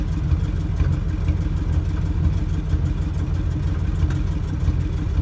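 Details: 1977 K10 truck with 350 small-block Chevy V8: deep, lumpy even idle with no ticking or puffing from the manifold, exhaust sounds sealed.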